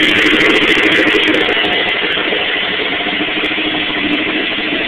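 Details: 1986 Suzuki GSX-R750 idling with a loud, busy clatter from the valve cover area, which got much louder over a weekend; cause unknown.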